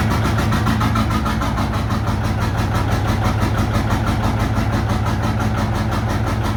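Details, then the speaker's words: John Deere 830 Industrial two-cylinder diesel, first run in at least 20 years after water pump fix and fuel bleeding, in high gear with brake on and clutch released under load: deep, even chugging, both cylinders firing cleanly. "Put it under load to see if it's hitting on 2, and you can tell it is now."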